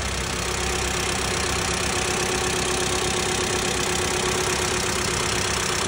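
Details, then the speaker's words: 2009 Nissan Murano SL V6 AWD, about 248,000 miles: steady, even idle with no knocks, smooth hum and faint high whine; normal idle. "Hear it running. Sounds well. Sounds good to me."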